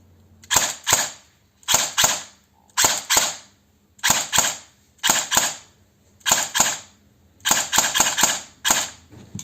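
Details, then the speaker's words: Cyma CM.030 G18 electric airsoft pistol after MOSFET and LiPo install: crisp shots in quick pairs, each firing immediately on trigger pull; trigger response noticeably faster, cycling normally. "What goes a lot better is the responsiveness. So if you just pull the trigger, the shot comes actually a lot faster."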